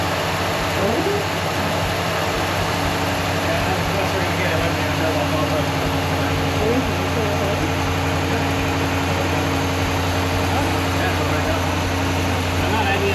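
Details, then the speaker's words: RAM truck's freshly installed engine on its first start: steady low rumble with even, unbroken firing and no knocks or ticks; runs and sounds good, though a code appeared afterward; normal idle. "All right. Well, runs. Sounds good."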